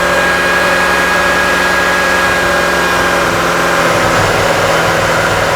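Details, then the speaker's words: Petrol engine on a scope: a steady idle turns uneven partway through with a stumbling, irregular misfire that is clearly temperature related, while the cam and crank signal square waves go erratic at the same time. "definitely temperature related you can hear the misfire starting you start seeing the square waves getting all wigged out at the same time"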